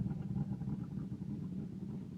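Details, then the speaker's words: 1992 Firebird 3.1 V6, stock cam, new lifters and gaskets, timing 12 degrees, cold start: deep loping uneven pulsing idle like a big cam, no mechanical knock; fuel present at regulator vacuum line, cause unknown. "Sounds like it's got a cam. I know it does not. Still a stock cam."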